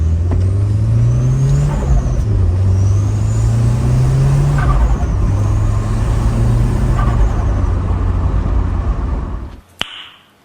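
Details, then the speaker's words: Nissan S13 with freshly swapped SR20DET turbo engine, first drive: pulls through the gears with rising tone, faint turbo whistle and hiss between shifts; car quiet apart from lots of normal turbo noises. "whatever a lot of uh turbo noises the car is still quiet but just a lot of turbo"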